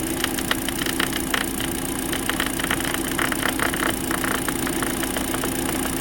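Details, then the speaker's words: Kia Soul after engine and transmission installation, first start as the radiator fan kicks on: steady running hum with a fast, uneven ticking rattle from a dirt dauber nest caught in the fan, vibrating badly; radiator fan rattle from debris. "there was a dirt dauber nest in the fan and when that thing first started turning I didn't realize it was in there"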